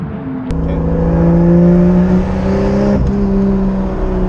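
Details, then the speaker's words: Toyota Supra 2JZ NA-T build with budget eBay turbo kit, first pulls, running rich, throttle possibly sticking, later coolant hit 110 °C: engine note climbs smoothly with steady rising hum coming onto boost, no knocks or misses; normal turbo boost under acceleration. "that's just when I go into boost so that [Music] every range that you strove in was totally fine it was rich but totally fine"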